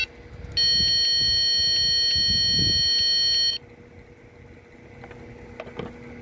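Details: 2006 Lexus GS350 no-start with no trouble codes: a steady warning chime for about three seconds, then near silence with no starter whirr or cranking; relay suspected; starter motor failure, no crank.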